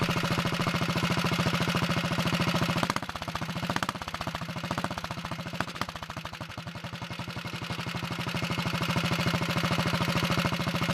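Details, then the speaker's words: Early 1961 Wheel Horse model 401 lawn tractor engine after getting it started, no choke, throttle opened: crisp regular putter that dips briefly with throttle then evens out; runs well, smokes a little on throttle, kill switch not working. "that sounds pretty good i'm gonna move the camera so you can see it smokes a little when you give it gas"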